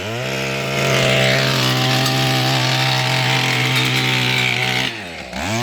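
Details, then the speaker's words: Mantis tiller two-stroke engine after carburetor fuel pump diaphragm replacement and recoil fix, idle possibly still a bit high, tilling fairly hard dirt: steady high buzz holds speed while digging, dips and recovers with load changes; healthy running under load. "one-handed sorry it works pretty hard dirt too it still goes on its own"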